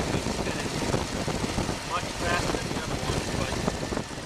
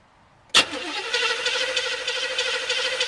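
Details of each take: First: Chevy 305 V8 idling with valve issues: uneven, lopey beat with stumbles, like running on seven cylinders with one dead; cause suspected, not confirmed; misfire. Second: Chevy 305 V8 in a G-body, previously running on seven cylinders with a valve issue, cranked with distributor disconnected for a compression test, about 137 psi: quick, even starter rhythm with no dragging; cranks well, unlike before.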